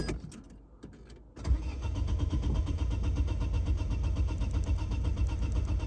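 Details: Opel/Vauxhall Astra MK4 (Astra G) petrol, cranking: starter turns engine steadily but never catches; gauge on fuel rail shows no pressure, dead fuel pump, fixed by pump replacement.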